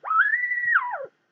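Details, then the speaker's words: Eddystone EC10 receiver during alignment, BFO being set to 12 o'clock and adjusted via L17 for zero beat; a clear whistle glides up, holds, then slides down as the knob turns, showing the BFO off zero beat. "now we can hear the tone of the bfo now it says what we do here is we adjust l17 the zero beat so more or less you can't hear a tone at all"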